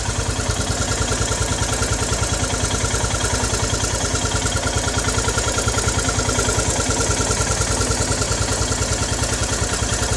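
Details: Royal Enfield Himalayan BS3 single, hot after a decent ride, with a thrashy idle thump and a whistling chirp on each beat, heard only at idle and loudest on the right side; the defective cylinder head was replaced under warranty.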